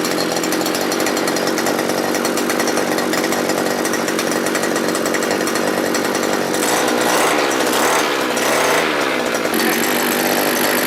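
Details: Small two-stroke earth auger engine that started hard and stalled when revved, after replacing the carburettor with a sprayer-type one: steady high-pitched buzz that picks up and settles cleanly when blipped; running properly after repair.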